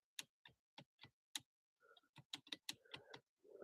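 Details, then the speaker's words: Nissan Altima power seat: sharp irregular ticks about every half second with a faint motor buzz but no slide travel, while up/down and tilt work. Owner suspects the fore-aft slide motor is locked up; unconfirmed. "But it sounds like it kind of sounds like the motor's locked up. So all the other functions work."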